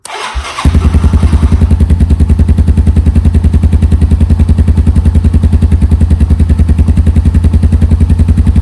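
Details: 1987 Yamaha Moto 4 200R electric-start ATV, sat 10+ years, with new battery: short crank, catches and settles into a steady, even single-cylinder putter with no misses; healthy idle.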